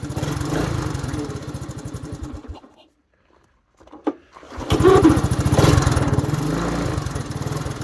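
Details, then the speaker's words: 1984 Honda Big Red 200ES ATV on a cold start. Single cylinder thumps unevenly, cuts out, then catches and pulls steady; the owner says it idles fine once warm; healthy cold start that runs rough. "And then once she warms up, it'll idle and idle. I don't get it."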